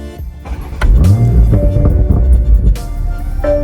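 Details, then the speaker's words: BMW Z4 M40i, warmed up, Sport Plus mode: engine catches, flares to about 2,000 rpm, then settles with a couple of exhaust pops under background music; normal start-up with rev flare. "Has a good, gets up to about 2,000 RPM and completes that startup with a couple of poppity pops."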